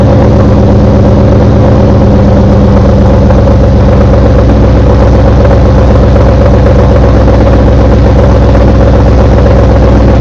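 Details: Engine just after installing CMS stage 2 blower cams, on first start: loud, steady running with a fast, rough knocking pulse through the idle. Cause unknown.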